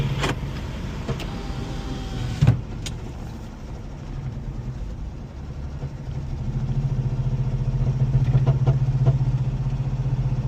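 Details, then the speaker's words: Blown Jeep bought at auction, being driven home: road noise, then a heavy low smacking knock that starts around 15 mph and builds with speed; deep internal engine knock, something possibly broken loose, cause unconfirmed. "As soon as we get out on the main road and I get up to like 15 miles an hour, the motor just starts smacking and something broke loose or it was broken already or or something, but it sounded terrible."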